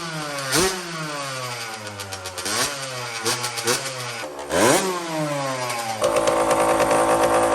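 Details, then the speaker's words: Custom Honda TRX90 with CR85 two-stroke engine after rebuild: crisp revs rise and fall cleanly, settling into a steady buzzing run without bogging; healthy, though the carburetor is loose and needs a new clamp. "She sounds good."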